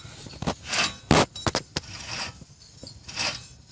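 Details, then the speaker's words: 2007 Nissan Maxima 3.5 SE rear hub bearing, removed with caliper off and turned by hand: rough, gritty rasping in uneven swells with handling clicks. Bad bearing, very noticeable; replaced. "you can hear that it's bad. Very noticeable."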